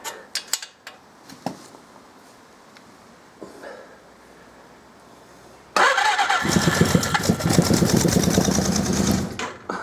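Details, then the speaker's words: 1979 Suzuki GS550E laid up about five years, on a power pack with ignition and spark confirmed, still on old fuel: near silence with a few clicks, then the engine catches at about six seconds and runs unevenly on first firing after storage. "hell, I didn't expect it to do that. I haven't even took that old fuel out yet. That surprised me."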